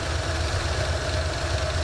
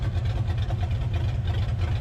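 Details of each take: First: 1984 Mustang GT350 V8 warm idle on new exhaust, holding 195 degrees with good oil pressure: a light, quick, steady ticking over the low rumble; owner hears a collapsing lifter and considers an oil change. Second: 1984 Mustang GT350 V8 with 268 cam on open headers, warming up: deep loud lumpy choppy idle, owner briefly wondered about a miss; steady and healthy.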